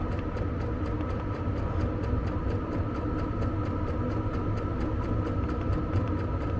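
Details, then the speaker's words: Vevor diesel air heater in a Fiat Ducato camper van after startup, ramped to full output: even steady hum with fast regular pump ticking, no surging or stumbling; normal running at full power. "Là, il est à fond. Position 1. Tire juste la première LED."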